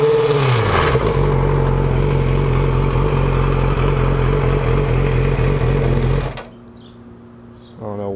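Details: 2006 Yamaha R6 after a highside crash, revving high: busy metallic clinking chatter over the exhaust, present at cold idle but louder at higher RPM even hot; cam chain tensioner spring not seating, reassembly cured it, new CCT ordered. Cam chain tensioner rattle.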